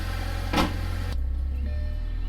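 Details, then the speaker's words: Audi after the intake and diverter valve install, idling in traffic: low even hum with no stumble, hunting or hiss; idle now perfect. "Idling perfectly. Alright guys, I'm out here in traffic, just picked up some Chipotle. Idle is perfect,"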